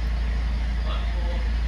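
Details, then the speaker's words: Mazda 6 with a collapsed top engine mount, in Drive with foot on the brake while revving: heavy, throbbing low drone with rattling, harsh through the body. "and you can hear the rattling and everything and it's really really harsh through the body of the vehicle"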